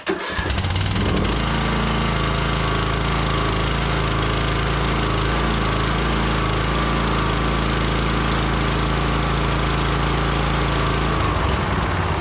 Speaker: now so that idle screws all the way out that's like Rock Bottom idle right there and it's perfect nice and smooth and full RPM sounds good too